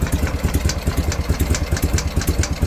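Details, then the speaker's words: BMW R51/3 flat twin at idle: steady lumpy idle with a light, regular tick on top, apparently top-end valve train; source unknown, owner asking for ideas. "Anybody know what that is? This is the ticking I'm talking about."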